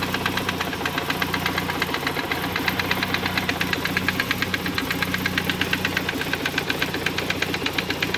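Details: 1991 Saab 900 Aero Classic at idle: sharp, even knock about three per second over the engine note; engine knocking, cause unknown.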